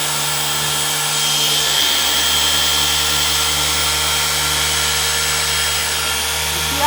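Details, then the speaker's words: Maxshine M15Pro polisher at speed 6 on a light contour of a car panel: high, hissy whine that never holds a steady pitch and sags under pressure; it is struggling and bogging down. "So, all right, let's crank it up to speed 6. How it's struggling."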